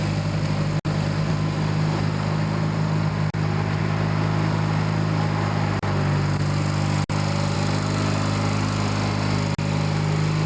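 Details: Kohler 16hp Magnum on a Yard Pro lawn tractor, test run after carb cleanup and reassembly, mixture screws at 1 1/2 turns each; steady even low drone at constant speed, no surging, hunting or misfire, running smoothly.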